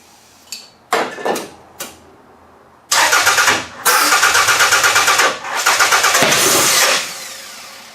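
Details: Toyota engine started on QuickStart starting fluid with spark present and timing set, cranks, catches and revs in ragged uneven bursts with a stumbling beat; owner suspects it isn't firing on all cylinders and some plugs are junk, flame visible. Suspected misfire.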